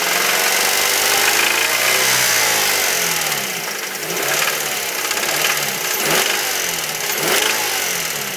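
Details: 2006 Mazda 3 SP23, 105,000 km, fully serviced: rough idle and revs with an uneven deep hammering knock and lighter ticking, growing with throttle; began around 80,000 km and worsening. Owner highly suspects No.1 cylinder big end bearing, not confirmed.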